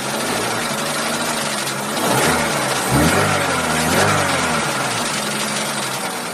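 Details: Chevrolet Cruze 1.8 at steady idle: light tick about once a second plus a thin squeak riding over it; engine ticking and squeaking, source unclear.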